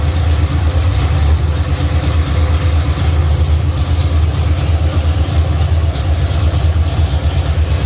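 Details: 351 Cleveland V8 running for the first time on a home-built run stand with shaker scoop fitted: deep, steady burble with an even low beat at idle, no knocks or misses; normal idle.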